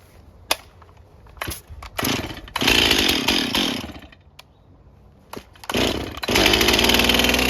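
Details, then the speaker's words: Stihl chainsaw run on Stihl Ultra oil, muffler just refitted, air filter not cleaned, cold start: a couple of pull-start bursts, then it catches and revs cleanly in rising bursts. Starts and runs healthy. "All right, this is going to be a cold start. I have not, I mean, you know, you can look at it. I didn't even clean the air filter."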